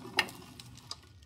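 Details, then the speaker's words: Kohler K301 cast-iron 12 hp engine from a Cub Cadet, turned slowly by hand: spins free with two sharp metallic clicks of something loose striking inside, sometimes jamming; owner suspects the rod and a catastrophic internal failure. "this just spins free. I hear it hitting on something. And sometimes depending on how this is laying, you can actually, it feels like the rod or something kind of jams it up and it won't turn."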